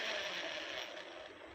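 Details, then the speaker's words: Mahindra Treo Plus 8 kW EV motor, unable to be driven because of the noise: harsh, high metallic grinding rattle that fades as it slows. Upper bearing is worn and the upper gear runs catchy. "यह ऊपर का है bearing. इसका भी खराब है। देख सकते हैं। थोड़ा अटक अटक के चल रहा है। यह ऊपर वाला जो गियर है।"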